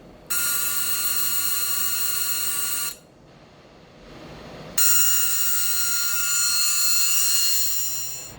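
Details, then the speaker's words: 1979 Lotus Esprit, door-ajar warning buzzer bench-tested on newly built wiring and relay panel before fitting to car: harsh steady high buzz cuts out about two seconds while door switch is pressed, then returns; buzzer and switch work normally. "Alright, and everybody's favorite. What a wonderful noise, huh? Door switch. So push it in, it goes off."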